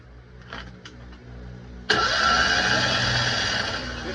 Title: Raw 1: Attempting to Start a Citroën 2CV - Classic Car Won't Start!